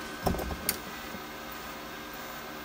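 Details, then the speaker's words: Cheap MIG-200D3 welder, MIG mode, trying to feed wire: a couple of sharp clicks over a faint steady hum; the wire feed motor clicks but lacks power to drive wire. "I hear it clicking, it just don't sound like it's enough power."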